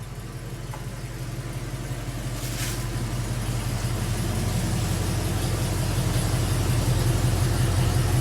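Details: 1971 Mercury Comet GT V8 on cold start, with metal debris found in the oil: rough, uneven low rumble with a faint irregular knock. Internal engine bearing damage; a replacement 347 crate engine has been ordered.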